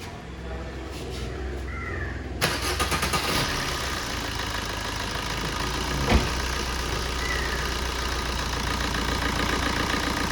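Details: Maruti Swift in for clutch set replacement, alternator pulley and belt replacement, gearbox overhaul and general service: starter whirrs briefly, then the engine catches and settles into a smooth, even idle with no knocks, sounding healthy.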